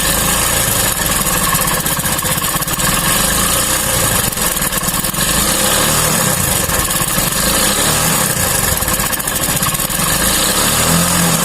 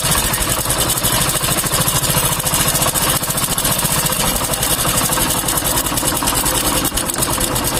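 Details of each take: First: Hero single-cylinder bike with a new timing chain idling steadily after a few minutes' running lets oil reach the chain; the noise changed, leaving a slight rattle from the cap above the timing chain, which adjusting should fix. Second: Hero Honda motorcycle engine idling with a fast, dry metallic chhik-chhik chatter from the timing chain, which is new yet still noisy.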